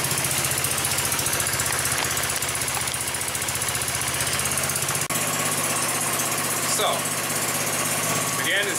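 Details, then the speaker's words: 150cc go-kart four-stroke single-cylinder after head replacement and valve adjustment, started cold with a little throttle: quick, even thumping beat with steady firing and no tapping or misses; it runs well. "as you can tell the coal cars still running sounded good and together we all got it going good yes all right so that sounds amazing to me"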